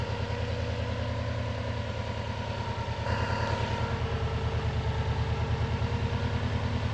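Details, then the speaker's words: Non-AVCS JDM Subaru EJ205 boxer at warm idle, nearly up to temperature, after timing belt and water pump replacement that had caused loud metallic ticking: smooth even low burble, regular pulse, no clicking or tapping; owner wonders if a tensioner was the cause. "Okay, I don't know how well you can hear me, but it's been running. It's basically up to temperature."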